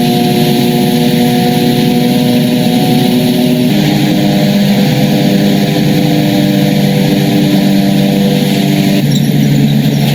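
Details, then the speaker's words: Nitto Mud Grappler mud-terrain tires on a Toyota FZJ80 at highway cruising speed: loud steady tread roar with a droning hum, much louder than Yokohama Geolander X-MT; normal mud-terrain tire highway noise. "Now this is what mud grapplers sound like on the highway."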